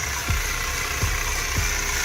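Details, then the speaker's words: Dodge Durango 5.7 Hemi at idle; it has a loud ticking complaint and dumps raw fuel into the cat. A soft thump about twice a second rides over a steady whine. It is judged not alternator noise, and the plan is to pull the belt and spin the pulleys. Suspected accessory drive noise, unconfirmed. "but we'll have to pull that belt off. Spin those pulley."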